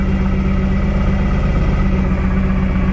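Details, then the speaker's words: 1999 Lotus Esprit V8 idling with an uneven, stumbling beat from a dead cylinder two with no spark; two cylinders misfired, traced to a faulty ECU coil output. "so then we're gonna go clamp it on cylinder two which i know is dead"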